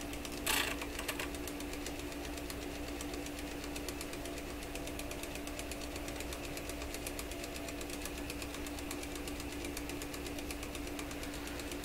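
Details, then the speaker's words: Webster record changer motor in an Electrohome Chippendale console: fast, even ticking once per turn over a slowed, loose-sounding hum. Rhythmic knocking; rotor suspected of hitting something each revolution. "Well, you know what it sounds? It sounds like the rotor is coming around and whacking against something every time it goes around."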